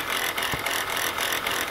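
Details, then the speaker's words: Older Chrysler Pacifica idling with a dry, gritty rattle from the alternator. The alternator bearing is judged shot, with brown residue around the area and the pulley bouncing. "all right guys from the looks of this and the sound of this [Applause] look like that alternator bearing is shot"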